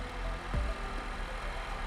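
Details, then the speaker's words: Honda K24 after timing chain and intake cam actuator install: steady smooth idle with no chatter after restart, no leaks found; engine sounds healthy. "all right we'll kill it one more time make sure the chatter is not there i didn't hear it the first time but i want y'all to hit it no chatter"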